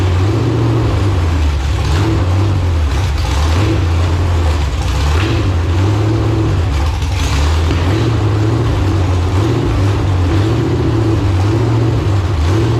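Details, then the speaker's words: Marketplace LQ4 6.0 V8 (circa 1999–2000, iron heads), first run after coil pack ground fix, carburetor bowls lacking fuel: speed swells and sags roughly every two seconds, rich-lean hunting; fuel starvation. "it runs I actually sounded pretty good to be Rich lean Rich lean Rich lean so if I can get some actual fuel in the thing"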